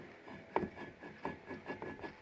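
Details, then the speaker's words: BMW 740i water pump, removed, turned by hand: dry, gritty rasp in uneven bursts; bearing grindy and worn out, pump being replaced. "bit grindy. And Sounds knackered."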